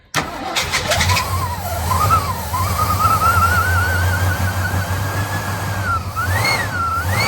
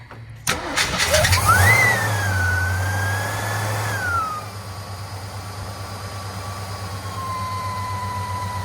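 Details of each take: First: 1958 Studebaker Golden Hawk, cranking with throttle held: steady starter whir and rising crank tone with no firing. The carb bowl won't prime despite fuel being present, caused by a stuck carburetor float needle and seat. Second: 1958 Studebaker Golden Hawk whose carburetor bowl would not prime, after needle and seat work, adding 5 gallons of fuel and priming the accelerator pump: the starter cranks briefly, the engine catches and flares up, then settles into a steady, even idle.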